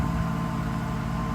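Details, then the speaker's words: Mercedes SL600 V12 after mass air flow sensor wiring repair: low, smooth, steady hum at idle with no rpm hunting, unlike the wild rpm before; MAF readings restored. "engine runs pretty nice I don't know if you can hear it steady the RPMs are not jumping up and down like insane"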